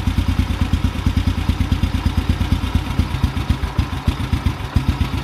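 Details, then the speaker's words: Carbureted motorcycle single with the idle mixture screw being turned in, starting to choke at a half turn in. The thumping idle turns uneven with dropped and weak pulses, a lean stumble. "all right let's turn it all the way in and see what happens it's a half turn in starting to choke up a little bit"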